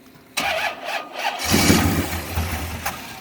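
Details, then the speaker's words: Donor Corvette: short crank catches, then sputters and sags instead of settling into idle; owner suspects it is out of gas and plans to fetch more, not confirmed. "She might be running out of gas. I can't promise. I mean, it is down. It don't act like it's picking it up too good, does it?"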